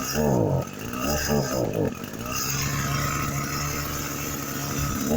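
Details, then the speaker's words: Echo SRM-225 weed eater that wouldn't start and bogged, reassembled with cover, filter and fresh gas, choke adjusted while running: small two-stroke catches and settles into a steady, even buzz without surging; running like a champ, torque better than ever. "as it was running i adjusted the choke a little bit more and man it's running like a champ the torque is better than ever"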